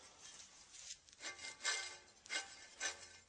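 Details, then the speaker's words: Front-wheel-drive hub turned by hand in the car after separating the knuckle from the lower ball joint gives a dry, rough grinding rasp that swells and fades with each spin; too much noise, a bad wheel bearing. "You shouldn't hear that much noise."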